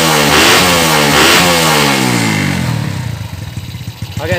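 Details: Yamaha Jupiter Z freshly fitted with new cylinder block, no air filter, not revved hard yet: climbs smoothly on a light blip, settles to even steady idle, no knock or rattle; sounds healthy.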